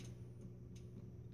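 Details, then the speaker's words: K40 laser power supply, failed after about two weeks (~5 hours use, never above 6 mA): test fire produces sharp irregular clicks, possibly from the switch or power supply, over a low hum with no laser firing; dead supply. "nothing you can hear it maybe a clicking in the power su"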